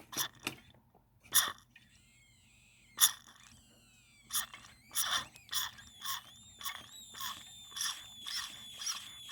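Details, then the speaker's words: Old Homelite chainsaw with a carb-related problem, engine not running: irregular breathy bursts with thin, wavering high squeals between them; an odd wheezing noise, cause unclear. "It's a carb related problem, and I just found this funny noise."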